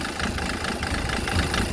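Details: 1.5 dCi diesel idling after its injectors were removed, cleaned and refitted: uneven, lumpy idle with a hard knocking clatter. Engine noise problem, cause not pinned down.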